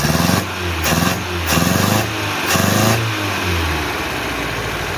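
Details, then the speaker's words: 1976 Chevy LUV 4x4 four-cylinder, no compression on two cylinders, no power: uneven rev blips about once a second over rough chuffing idle; worn-engine blow-by with strong, slightly smoky air stream. "got a pretty good stream of air send it all away a little smoky"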